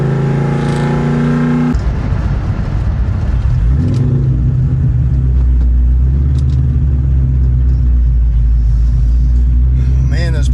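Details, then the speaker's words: Cold start of a V8 fitted with a Whipple supercharger while still running a tune for a ported Eaton: rough idle with the rumble rising and sagging every few seconds, a power surge from the mismatched tune. "so it's power surging quite a bit because we're still tuned for ported eaton but we're on a whipple i can tell it's running a lot better but it definitely needs a tune"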